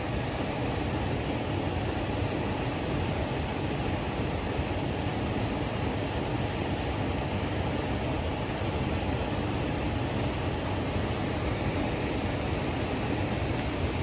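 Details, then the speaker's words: Repaired Trane variable-speed indoor blower after storm; smooth even airflow, no rattle or scrape, turning slowly, believed to be on a 5-minute startup delay though it should reach 1100 CFM. "I believe that thing ought to be going faster than that."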